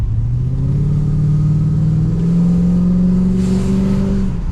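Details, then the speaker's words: Holden VX SS Commodore V8 with fully rebuilt engine and transmission, big cam, first test drive, well short of full throttle: deep lumpy V8 pulls cleanly, pitch climbing smoothly, no knocks, misses or flat spots; normal part-throttle acceleration. "oh that's not even nowhere near full throttle either I don't want I don't want to give it Full Throttle yet"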